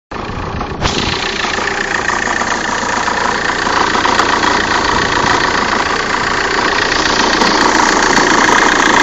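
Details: Opel/Vauxhall 1.9 CDTI diesel, cold start idle: rough knock three or four times a second with vibration, gone after about 3 minutes warm; dual-mass flywheel replaced a month ago; source unclear.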